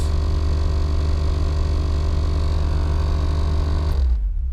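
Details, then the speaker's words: Nissan 300ZX AC blower motor on high speed: heavy, rough, rumbling drone that cuts off suddenly; blower housing found full of acorns and a dead mouse. "So when we turn the air conditioner on, get it on a high speed here, my fan control button doesn't work, so as you can hear, we got a pretty nasty noise."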